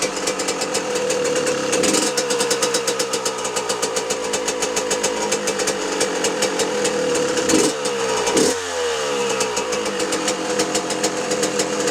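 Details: 2006 Yamaha YZ125 two-stroke after full engine rebuild, first run with new air filter and two-year-old fuel: crisp ringing note, revs picking up cleanly and dropping to an even idle; normal running, some smoke from old fuel.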